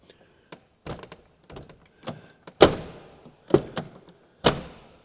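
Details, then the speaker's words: Lotus Carlton door sits slightly low: several closes, each ending in a hollow knock as the door hits the striker plate, which lifts it into line. "That knocking noise is the door hitting the striker plate, which means you have to slam it a bit more to close it."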